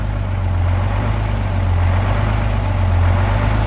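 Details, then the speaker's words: 1971 GMC 9500 with Detroit Diesel 6-71 two-stroke, started after 26 years, warming up: idle comes down, deep steady even idle with no knocks or misses; running healthy. "as it warms up you can tell the idle shuts down so listen this thing sounds pretty good"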